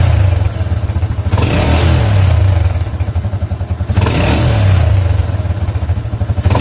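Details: Yamaha Jupiter MX after disabling the AIS system, whose vacuum membrane had leaked, as a fix for exhaust backfire on deceleration: engine revs up and drops back twice with a clean fall-off and no pops or bangs; decel is now healthy.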